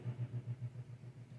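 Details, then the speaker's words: 1967 Fender Bandmaster AC568 after board rebuild: low ~120 Hz hum pulsing about seven times a second with tremolo, appearing from 2 and loudest mid-range, louder with volume down; interference, not the earlier ticking fault, cause unknown. "And the symptom, the tremolo noise is unchanged. It's not really the ticking problem. So I don't think the ticking problem solution was the problem for this problem. It's interference,"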